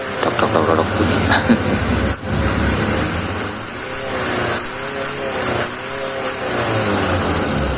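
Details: Diesel engine after a tune-up setting: it runs evenly with no knock or tapping over outdoor traffic and pulls cleanly. The earlier dangerous noise is gone, and it now sounds healthy.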